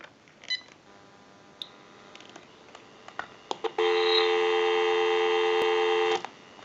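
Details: General Electric 27909 cordless 6.0 telephone after repair, line out via switch box bypassing the analyzer: a few short keypad beeps, then a clean steady dial tone; line works normally.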